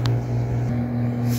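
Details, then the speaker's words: Old Fuji Electric R22 aircon, error OF after compressor replacement without new filter dryer (compressor overheated); after repair, indoor unit running: steady low hum with faint constant tone, no rattles or scraping, waiting for outdoor unit. Normal indoor operation. "so umaandar na yung indoor natin. Maghintay lang tayo ng ilang minuto."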